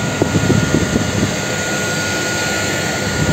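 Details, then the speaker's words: Homemade gas-cylinder wood stove with car heater blower (VAZ-2106 heater resistor) switched to strong second speed: steady loud rushing roar with faint constant whistle, no speed change; owner finds it maddeningly noisy. "ну и соответственно второе положение это сильный О сразу задуло слышно да"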